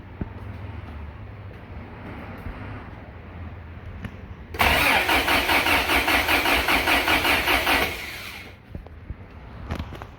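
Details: 1987 Toyota 4Runner 22RE after engine rebuild, battery connected, fuel confirmed, brake cleaner sprayed in: about three seconds of steady, even cranking with no catch; ignition timing found off, and it ran once timing was reset at number one.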